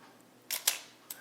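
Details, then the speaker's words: Olympus OM-2n 35mm film SLR in manual mode at 1/8 s: two quick, crisp, clean mechanical clicks spaced about an eighth of a second apart. The slow speed times properly; normal shutter operation. "So you can hear the difference, it's changing."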